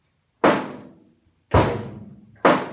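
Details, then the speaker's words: 1950 Willys Overland Jeepster body panel after heat-shrinking a high spot (torch red hot, tap, quench): three hollow metallic pops as the sheet is pressed and snaps back, showing oil canning. "I showed in my previous video where I did this top area where I had high spots. You can hear this is oil canning."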